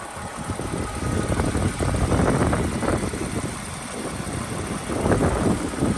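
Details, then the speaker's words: 2007 Toyota Avalon XLS, 167,000 miles, at idle with hood open: low, smooth steady idle with no knocking or ticking; healthy engine. "Right here for a moment so you can listen to it at idle."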